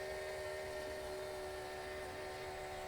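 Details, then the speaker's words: Homemade dragster, turbocharged Harbor Freight 670cc V-twin, first run on nitro-methanol with carburettor, after a no-spark problem: engine runs on its own with a steady, slightly uneven drone and two even tones on top; it has picked up fuel and is running. "yeah I think I feel it yeah yeah it's going man there you go"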